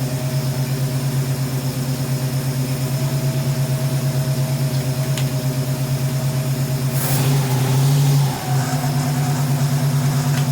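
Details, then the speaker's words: 1971 Ford Mustang Sportsroof (351) after sitting about 14 years, no coolant in it: steady, even idle with one clean rev dropping straight back to smooth idle; a little blow-by noted, otherwise running healthy, called a success. "Can't really tell. Got a little blow by. Hey, I'll take that. I call that a success."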